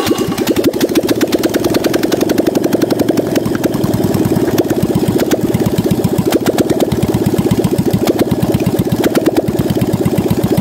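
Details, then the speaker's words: Fiat 126p 650 cc twin idling with timing cover removed, camera at the front on the timing chain; fast continuous light ticking clatter from a worn, slack, stretched timing chain. "And look, the engine spins. Crankshaft and camshaft spins, and have a look how worn is the timing chain, what kind of play it put upside down."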